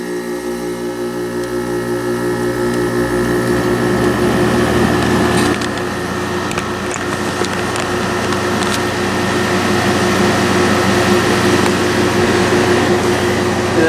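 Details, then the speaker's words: Arctic King WWK05CM81N 5,000 BTU window air conditioner, made 11/2017, R410 refrigerant, cooling mode: steady fan whoosh over an even compressor hum with audible gas flow and no knocking; about 70°F ambient, about 56°F in the outlet, normal cooling. "Not a bad sounding compressor. You can kind of hear the gas flowing through there."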